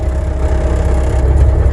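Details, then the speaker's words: Diesel machine at idle after fixing hydraulic pump drive that had slipped so the boom wouldn't move, Alaska off-grid homestead in extreme cold: steady low idle, even drone, faint constant tone, no squeal or slip; hydraulic drive healthy. "It was slipping bad enough that the boom wouldn't go up and down, so that's an idle. I think we're good to go."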